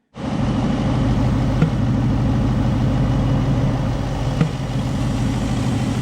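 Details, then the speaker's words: 2019 Ford Mustang GT (tuned, aftermarket cold air intake) at idle: steady V8 rumble broken by sharp ticking pops echoing from the cold air intake tube. "We were having a ticking or a popping sound out of the cold air intake. Well, you could hear it out of the cold air intake anyways. It was echoing in the plastic tube basically."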